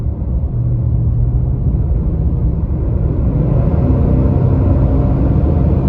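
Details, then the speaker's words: 2022 Nissan Titan while driving: a heavy, steady jet-like roar that never eases, through all gears and RPMs and still at idle. The viscous fan clutch is stuck locked and the fan runs flat out. "here we go listen the fan is locked up the entire time it's still locked"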